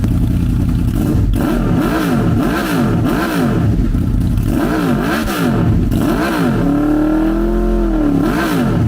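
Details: 2006 Honda VFR800 V4 bought wrecked from Copart, first start after inner clutch basket repair: repeated throttle blips rise and fall cleanly, then a longer even hold; engine runs fine, exhaust still damaged.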